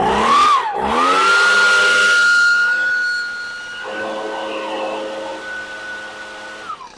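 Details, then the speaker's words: Echo PB-250 leaf blower that ran poorly, after Zama carb rebuild, new fuel lines and grommet, and carb adjustment: revs cleanly to a steady high even whine, holds without hunting, winds down smoothly; normal running. "All right, that sounds much better."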